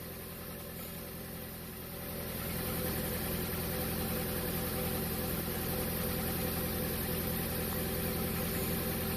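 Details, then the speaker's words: 2015 Jeep Patriot 2.4 inline four, P0304 code, surging and bucking: low pulsing idle with hard cylinder 4 misfire that stayed on cylinder 4 after swapping coil to cylinder 3; dead cylinder. "And cylinder 4 is misfiring, hard misfire. So what we're going to do now, or what we could do, is we could swap the coil, which we already done that actually."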